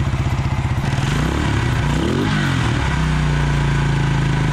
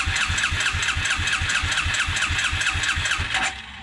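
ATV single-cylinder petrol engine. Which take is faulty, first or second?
second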